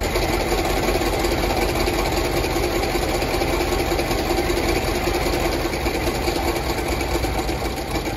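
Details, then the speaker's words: Land Rover LR4 started cold, thermostat likely not open: uneven, stumbling, ragged idle, then it dies; owner suspects timing chain slap rather than a blown head gasket; rough running. "it oh it's not liking something and it just died on me well I'm going to restart it"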